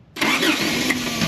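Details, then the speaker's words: Toyota pickup with starter stuck engaged issue: a sudden harsh burst as the starter catches and turns the engine; starter engages only intermittently, owner suspects a bad spade connector on the starter, not confirmed. "I think the speed connector on the starter is bad."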